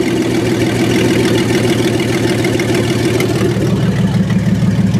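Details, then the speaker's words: 1994 Chevrolet Astro van running rough since a distributor replacement that was installed 180 degrees off and backfired, blowing a hole in the muffler; exhaust reconnected, uneven idle with irregular lope about three beats a second; base timing suspected, later checked and found right. "since then it's been running pretty rough since I replaced the distributor so base timing may be off"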